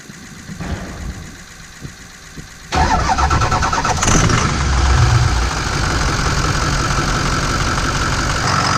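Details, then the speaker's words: 2004 Ford F-250 6.0L Powerstroke diesel after installing charge pipes, coolant filter and external transmission filter: brief crank, then a steady, even clatter with a clean rev and stronger exhaust air flow. It sounds better than before. "you can hear the air coming out of the exhaust almost a bit more which is uh always nice to hear um that's I think much better than it was"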